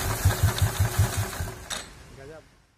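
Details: Royal Enfield Classic 350 electric start: starter cranks cleanly with even low thumps for about a second, then the single fires briefly; no grinding or clatter from the starter. Normal electric start.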